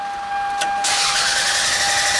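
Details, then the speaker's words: 1994 Toyota Camry: starter spins the engine with a steady whirring drone but it never fires; tachometer moves while cranking, showing a crankshaft position sensor signal. Crank, no start; cause not yet found. "Guys, today I have an old 1994 Toyota Camry. We have a crank no start."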